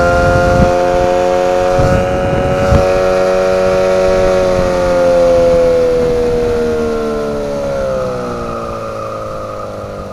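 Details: 9.8 hp outboard motor: loud steady whistle over the motor's drone, pitch sagging slowly as revs drop; high-pitched whistle under load, owner calls it a brake whistle, cause unknown.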